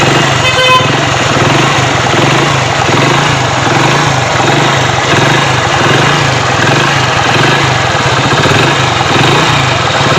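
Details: Hero Splendor Pro motorcycle after repairing a broken magneto-side plate: steady, even single-cylinder idle with a regular putter and no knocks, ticks or rattles, sounding healthy.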